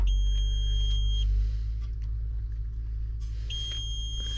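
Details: Idling tractor cab, with the blower fans not running though the AC clutch kicks on; fuses are being checked with a Power Probe. Two high beep tones sound in bursts over a low, steady engine rumble. The warning's cause is unknown.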